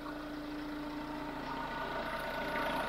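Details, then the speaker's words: Chevrolet Tracker just after repair of valve tapping, warming toward 85 °C: regular, even idle clatter with no extra top-end ticking, the valve tap now gone; normal idle. "bom graças a Deus funcionou pessoal não tem mais a batidinha tá de válvula a batidinha era que ele ia mesmo tá"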